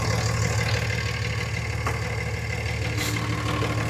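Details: Blue Cummins diesel pickup at idle after its belt was reset and the fan pulley reseated. The belt had shredded after another shop replaced the power steering pump, and it rubbed the crank reluctor wheel. Now a steady, even clatter with no chirp; healthy.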